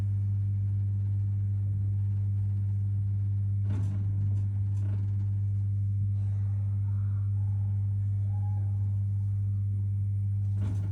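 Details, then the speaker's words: Worcester Bosch 30si combi boiler, no heating or hot water: steady low fan drone with crackly clicking and gurgling as it tries to light, then slow-flashing reset showing ignition lockout. "so because it tried to fire we know that the external controls are okay and then it starts slow flash reset button on which means ignition lockout"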